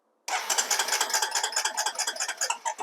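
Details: 2005 Honda TRX250EX ATV cranking with a known-good spark plug and splitter connectors fitted for testing: quick even starter chatter for three seconds with no firing; no spark.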